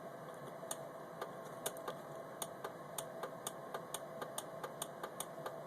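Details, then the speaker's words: VW HID headlight troubleshooting, one headlight not working: crisp rapid relay clicks, three or four a second, over faint steady hum, showing the headlight relay is working. "but that's what it should sound like once uh on the passenger side to you know verify that that relay is indeed working"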